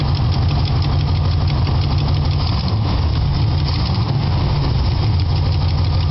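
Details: 1976 Chevy Nova with a 327 (L28 block), Performer intake and Edelbrock 4bbl carb idles steadily; a light quick tick rides over the V8 rumble, an exhaust leak from a hole at the header base still to be welded shut.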